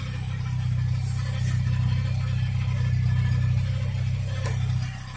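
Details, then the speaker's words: Peugeot 205 1.4, laid up since July with a gearbox fault, hard start: a steady low drone with a rough, uneven beat about four times a second at idle, caused by a worn transfer gear spline in the gearbox. "Knackered transfer gear spline, that's the noise."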